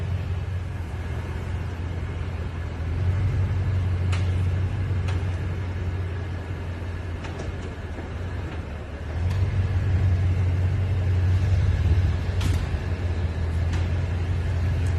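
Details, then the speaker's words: 2020 Toyota Tundra, cold or warm, creeping at low speed over uneven surfaces in a parking deck and driveway: sharp irregular pops and creaks over low road rumble; one pop after sitting for hours. "it makes popping or creaking multiple noises when driving in and out of my work parking deck and in and out of my driveway like when it's uneven surfaces at slow speeds"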